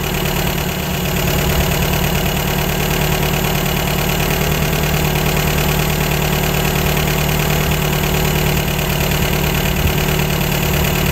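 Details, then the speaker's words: 1953 MG TD four-cylinder at idle after an engine teardown, while tuning its twin SU carburetors. The idle is smooth and even, with no misses, hunting or popping. One carb's mixture sounds just about right; the other is still slightly lean. "that one sounds just about right"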